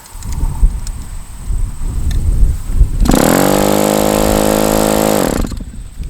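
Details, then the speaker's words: Super Tigre G90 model glow engine with a Super Tigre glow plug, spun by an electric starter. About two seconds of steady starter whine with no pops or firing. It cranks but won't fire; the plug is suspected, unconfirmed. "I mean that's that should be plenty to get this engine fired up and it's not even"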